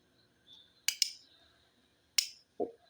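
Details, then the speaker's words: Relay being bench-tested, 12 volts from a battery applied across coil pins 85 and 86: crisp, sharp single clicks as the coil pulls in; normal relay click, coil working. "ඔයාලට ඇහෙනවා 12 volt current එකක් දුන්නාම relay එක අල්ලන සද්දය. Coil එක අල්ලන සද්දය."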